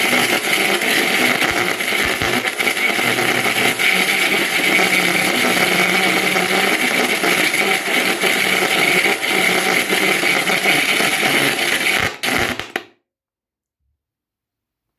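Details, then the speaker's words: Yamaha A-460 stereo amplifier, right channel: loud continuous crackle and rasp that cuts to silence, caused by cold solder joints on the STK3042 MKII module; fixed by resoldering. "So what you think where it can be? It's a cold joint. It's a problem with a component. It's a loose wire."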